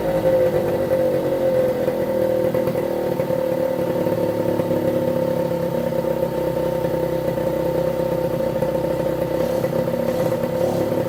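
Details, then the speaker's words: 1973 Suzuki TS50 two-stroke, first start after full restoration, started with one kick on choke: a steady, even buzzing idle with no knocks or rattles, settling quickly. Air in the oil pump lines needs bleeding. "that that's it starting one kick quite pleased with that"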